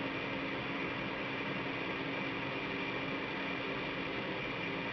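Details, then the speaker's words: Goodman gas furnace after fitting a new 16x25x1 filter, blower set to recirculate: steady even rush of air with a soft burner roar and no rattles or surging; normal furnace operation. "but let's go ahead and turn this furnace back on you're going to hear the blower kick in because I have it set to recirculate air"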